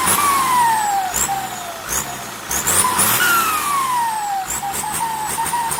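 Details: SK200-3 AR42 turbo: high singing whistle slides down as revs drop and climbs on throttle, with hiss behind it; turbo whistle.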